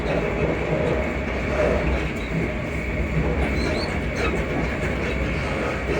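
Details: Class 334 unit 334031 running on the Haymarket–Bathgate service: faint high squeaks come and go over the rolling rumble from the running gear. Suspension squeak suspected, not confirmed.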